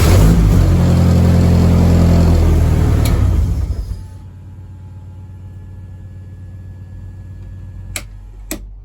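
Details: BMW E30 rally car with swapped-in M44 engine: revs cleanly and smoothly for a few seconds, then shuts off with faint clicks afterward; engine running, though other problems remain.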